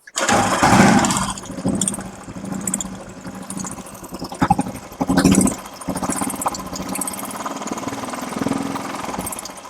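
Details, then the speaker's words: Royal Enfield Bullet started and idling with both rocker covers off: a sharp, dry top-end ticking in time with the engine. Engine oil is not reaching the rockers, the main cause of the tik-tik noise. "तो जैसा कि आप देख पा रहे हैं दोस्तों कि हमारे रोकर तक हमारा इंजन ऑयल सप्लाई नहीं हो रहा है, जो इसके एबनॉर्मल साउंड का मेन कारण है।"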